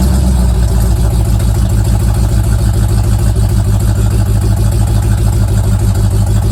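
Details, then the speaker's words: Old Mustang project car, recently revived after 42 years, idling after a cold start: a steady, deep old-V8 rumble with an even beat of about three pulses a second and no knocks or misses, sounding good for how cheap it was. "so that sounds pretty good sounds good for how cheap that was"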